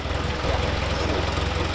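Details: Austin Healey Sprite idling: soft, even low purr with no knocks or misses, smooth and steady; healthy normal idle.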